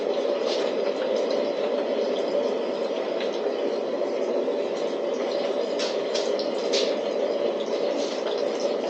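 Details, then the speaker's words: DIY waste oil burner with diffuser disc fitted, flame reaching the top: steady, even, loud roar with soft crackle, no pulsing or sputtering; strong stable full burn. "One thing for sure, it's really, I don't know if you can hear it in there, but it's really making a roaring noise."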